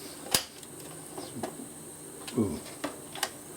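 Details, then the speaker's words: Philips NG 5159 valve record player with a BSR changer deck: scattered, irregular clicks and clunks, then a rubbing clattering sound, as the changer tries to move and stalls. The mechanism is very seized and dirty and is not measuring the records. "Well, it's all very seized and it don't really want to go. Oh. That's no use. It's not measuring the records. Oh. Don't know if you can hear that. It's now got a rubbing clattering sound."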